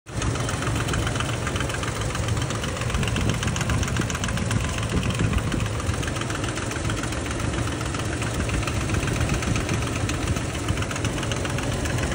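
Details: Toyota Land Cruiser V6 at idle: rough metallic knocking from the top end over the engine note; found carbon buildup on that side, pointing to worn, rubbing camshaft gears.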